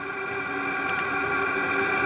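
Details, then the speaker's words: ZHIBANG Chinese diesel heater on max setting in a tent, exhaust pointing down: smooth, constant blower roar with steady high whir, no clicks or surging; running cleanly at full output. "but if you look very slightly it shows the motor and how hot it's running with it's on the Mac setting so she has installed it all ripping her in the tent"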